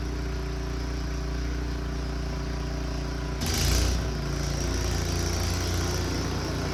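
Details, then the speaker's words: Returned snow blower's small engine clearing the driveway: an even, steady drone with a brief surge as it takes load and no misses or knocks, and it runs fine. "I think we're good to go it seems to run just fine"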